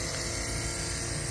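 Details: 5 HP steam engine and boiler: AC electric boiler feed water pump switched on gives a steady, even hum with no knocks or surges; pump running normally.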